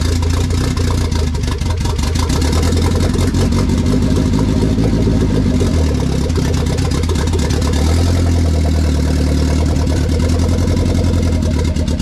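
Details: K20 turbo RHD Honda Civic wagon after its first start, on a startup base map with no radiator fitted: steady deep idle holding on its own, then clean rising revs that drop back smoothly with no misses; normal idle and free revving.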